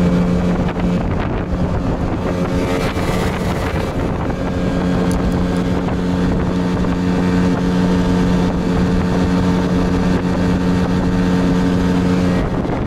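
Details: Yamaha 8 two-stroke outboard at full throttle during a 92 vs 95 octane fuel test; steady high-revving buzz under wind rush, no misfire or stumble, running normally; some detonation noted on throttle release.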